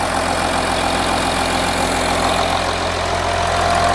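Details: Audi Q7 diesel idling after water pump replacement and coolant refill: a smooth, even idle with a steady low rumble and regular clatter, no whine or grinding. It sounds healthy and there is no leak around the pump.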